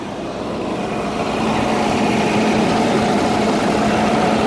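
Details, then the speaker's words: Volvo 240 cold start after 15 years sitting in a field, bad pink-label ECU swapped for used white-label ECU, foot slightly on gas: fired after intense cranking, steady even hum slightly above idle, no misses or knocks; healthy. "Well, guys, here she goes, running like a champ. I got my foot on the gas pedal a little bit there, but put the new ECU in with the white label, not the pink label, and she fired right up after some intense cranking. She sounds like she's purring."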